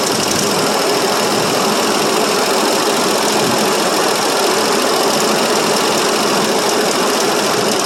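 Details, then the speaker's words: 1968 Mercury Monterey 390 FE two-barrel, cold start after sitting about 20 years, fuel poured into carburetor bowl: rough, uneven idle with loud mechanical clatter; a sticking valve suspected, oil light questioned; rough running. "well as you can see it does run a little bit"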